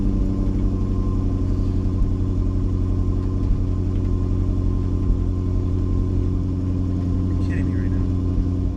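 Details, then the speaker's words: Supercharged Range Rover LWB after installing new fuel injectors; steady, even deep hum with no misses, knocks or stumbles, running a lot better than before; normal running. "I mean to be honest the car sounds like it's running better like it sounds like it's running a lot better"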